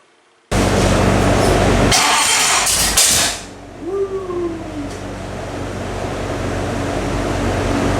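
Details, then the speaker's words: Freshly built engine on a dyno after spark plug wires fitted in the wrong firing order were corrected: it catches right away after a brief crank and settles into a steady, even run with no popping back through the carb. "Fixed the firing order, and it fired right up."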